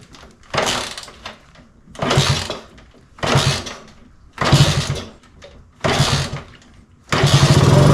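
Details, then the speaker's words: 1964 Honda C110 single, freshly reassembled from pieces, first start: idle keeps surging up and dying back about every second and a half, never settling; carb slide not working, throttle hunting. "So the slide isn't working because, as you can tell, it's going up and down in random idles, but we have something to work off of. That throttle is not happy at all."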